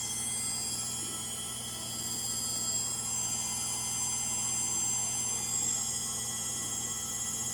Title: Frigidaire Gallery front load washer model GLTF1670AS1 final spin. Bad Motor bearings.